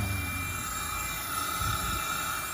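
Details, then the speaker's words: 229,000-mile Audi TT intake leak test with an adapter fitted in place of the MAF, pressurising the inlet. A steady airy hiss and thin whistle over pump drone come from a boost leak; an intake pipe had come off. "You can hear it, and we've got some boost juice. We can't find some leaks. Give it a spray. Oh, yep, that's definitely a leak."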